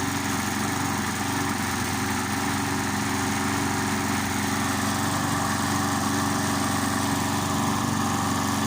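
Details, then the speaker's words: Briggs & Stratton 3.75hp Sprinter mower, restored, just started cold, throttle fully on: steady, even buzz at constant high speed with no misses, knocks or surging; running healthy. "It sounds very well. I'll just let her run for a bit longer, and then I'll put her back in the shed."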